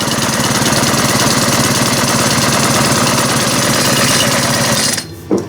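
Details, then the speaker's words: Ice auger engine during servicing, after the high idle was adjusted down: a low, steady, even idle putter with no misses, then it shuts off. It runs well. "That runs really good, actually."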